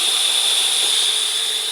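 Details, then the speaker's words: Test boiler with 19 tubes (flues), two of them leaking, pressurised with air before plugging: a steady sharp hiss with a thin high whistle through it as the air escapes from a leaking boiler tube. "I'm going to put the air in it so you can hear it so you can hear it piston piston or hissing whatever you want to call it piston hissing whatever"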